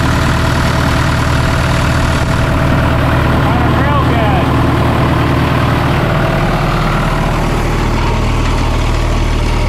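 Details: 1997 Sullair air compressor with a diesel and a John Deere reman injection pump, just bought at auction: deep, steady diesel chug at an even idle with no knocks, misses or rattles; healthy.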